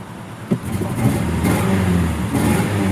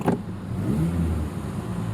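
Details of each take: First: Ford Ranger V8 truck idling rough with a lumpy, stumbling beat from a bad misfire on one cylinder; check engine light had been flashing, owner suspects a spark plug wire not fully pushed on. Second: Ford Ranger pickup V8 petrol engine after a bad misfire with flashing check engine light: steady even low rumble with no stumbles; check engine light goes off.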